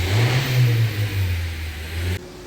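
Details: Honda Civic (2015–2021) after fixing a crank-but-no-start: engine revs up cleanly and pulls smoothly with no knocks or misses, then shuts off; normal running.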